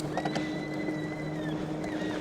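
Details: Hovsco HovGTRS 750W 48V rear-hub fat-tire eBike (no front motor), 7-speed, pedal assist 4 with pedaling, no throttle: thin high whine rising and falling over motor hum, strongest at low speed; rider first thought it sounded like the brake, cause not found.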